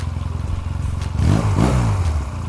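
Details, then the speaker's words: 1986 Honda Rebel 250 CMX, hot restart after a ride, following a starter clutch replacement: brief crank, then it catches cleanly, revs once and settles; the starter engages hot without slipping. "well i don't know seems to be okay i guess uh that was a success everybody"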